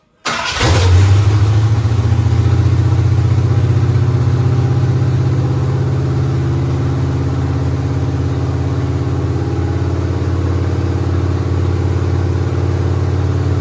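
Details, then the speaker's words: 1969 Mercury Montego first start after work, new fuel line, about six gallons of gas, new air cleaner, transmission fluid and filter changed: starter cranks briefly, engine catches at once and settles into steady deep even idle; normal cranking and start. "now that was impressive all right take two let's actually try to fire it up"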